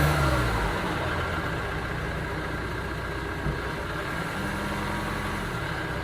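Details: 2009 Ford Transit Sport diesel van idling with an uneven, lumpy beat and a slight stumble as revs rise and fall; engine misfire.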